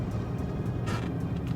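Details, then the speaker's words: V8 Range Rover Vogue L322 driving: road rumble with short, sharp chirp under acceleration; pulley or belt suspected, cause unknown. "it's a little chirp when I uh accelerate sounds like a poly or a belt no idea"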